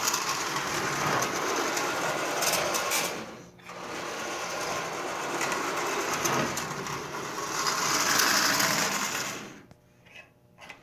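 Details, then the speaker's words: Marx 400 toy train locomotive, sat for decades, first run after unboxing: high buzzy motor whir with scratchy rasping edge surging and dipping; dry armature bearings and brushes. "all in all it's definitely worth the 9 bucks the parts in it alone are worth more than that and you can hear how dry it is"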